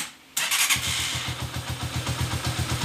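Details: Honda TMX125 Alpha converted to 150cc, after swapping a thin metal head gasket, which let the piston hit the valves and made noise; fires at once, even thump about four per second, no top-end tapping.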